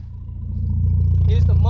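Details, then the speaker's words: 1998 Mitsubishi Eclipse with freshly rebuilt engine, first start after swapping camshaft sensor and distributor plugs: deep steady exhaust burble rising smoothly with revs, even firing, no knocks; oil light is on. "sound my muffler sound kind of good too it reminds me of my uh my Integra 1.8 L"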